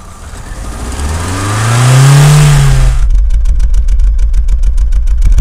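Engine revs up and drops back to a stumbling, uneven idle with a choppy beat; one cylinder is misfiring.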